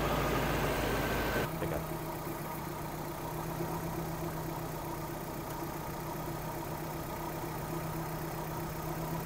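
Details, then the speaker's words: Suzuki Vitara petrol engine with a recurring rough-running problem, vacuum line at the fuel pressure regulator removed and refitted: steady idle whose note drops and changes; gasoline leaks from the regulator's vacuum side, so its diaphragm is leaking. "Ito yan mga kapatid dapat ah walang gasolina na lalabas diyan kasi ito diaphragm lang naman to eh hihigupin niya yung diapram para mag-open close ong bulve."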